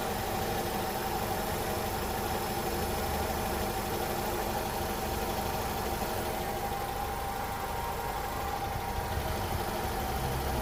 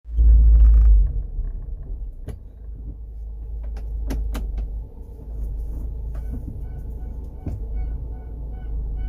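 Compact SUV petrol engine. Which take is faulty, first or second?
second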